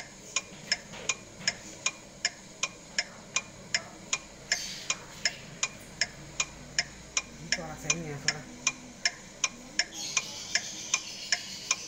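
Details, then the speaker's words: Mitsubishi Grandis recorded inside the cabin. Crisp, even ticks about 2.5 per second: the turn signal/hazard flasher working normally. "bunyi Saint pada Mitsubishi Grandis ini atau install bunyinya seperti ini kayak bunyi Saint itu pada mobil Ford gitu ya"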